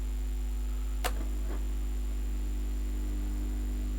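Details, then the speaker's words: 1969 HMV transistor record player after replacing the rectifier smoothing capacitor, powered on at full volume: one click, then a faint steady low hum; very little residual hum, acceptable. "and right away I can see activity or feel activity a little bit of hum there uh but not very much at all"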